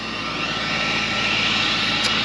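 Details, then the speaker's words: John Deere 4755 with 7200 corn planter: steady, even high-pitched rushing whir from the planter vacuum fan with no surging or dropouts; it would not run the day before, now running normally. "You can hear the noise behind me. That is the vac on the planter running, which is a good sign. Yesterday it wasn't wanting to run."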